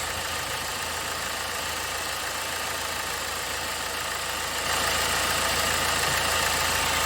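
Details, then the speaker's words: 2009 BMW 320d, parked about 9-10 months, had a misfire, engine light on and low power. After the fix, with the engine light out and the gear selector shaking less, a steady, smooth diesel idle with no stumble; normal idle. "Yeah, the engine light's gone out. This gear selector isn't doing as much of a dance as it was before. Oh god, the engine's nice and smooth."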